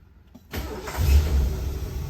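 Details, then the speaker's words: 1975 Lincoln V8 after reassembly, a new thermostat fitted (the previous fail-safe one was stuck open): a brief crank, then it catches at once into a steady low rumble without touching the throttle. Normal quick start; the alternator charges at 13.8 V. "look at that didn't touch the gas didn't do anything"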